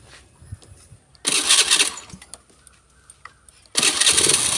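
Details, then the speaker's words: Motorcycle after fitting a new starter motor; brief starter whirr, then the small engine catches on the first try and settles into an even run; normal cranking and start. "โอเคครับเพื่อนๆไม่มีการยะรื้อรอบ2นะนี้ไม่มีการยะรื้อไดออกมารอบ2มาเช็ครอบ2นะครับก็คือใส่ไดตัวใหม่ไปแล้วึ่งทีเดียวเลยนะครับ"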